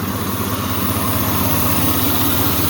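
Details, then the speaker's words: $400 parts vehicle idling: a quick, even puffing tick on each firing pulse from an exhaust leak at the manifold, which is leaking because the manifold bolts are broken. "a little exhaust leak but i know why that is somebody broke all the manifold bolts"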